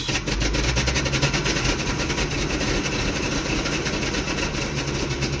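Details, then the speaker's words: Toyota 22R engine held just off idle with some throttle runs rough and shaky with uneven exhaust puffs and an exhaust leak, sputtering and dying off throttle; cause found to be carburetor float level. "she's running a little bit rough I can't get out I might be able to get out enough in time to go run over there and give it some throttle but probably not because the second you look put off the gas it'll start to sputter and die unless you give it a little gas a lot of gas"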